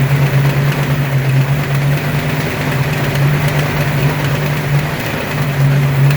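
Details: Ford 302 5.0 V8, never run before, idling: steady low drone with faint irregular mechanical chatter; internal noise persists with belts off and is unchanged pulling each plug wire; owner suspects piston slap, broken wrist pin, timing chain or torque converter area.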